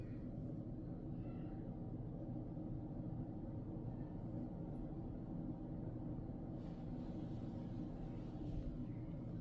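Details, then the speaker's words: Samsung Galaxy Book4 Edge (Snapdragon X Elite) laptop fan during benchmarks, heard close up: very faint even airy hush with soft low hum, no whine or ticking, almost inaudible; normal quiet fan under load. "not sure if you can hear that it's not very noisy um it is almost inaudible so I I would consider this a win to the extent that it actually feels like a a fanless device even in spite of the fact that it's actively cooled"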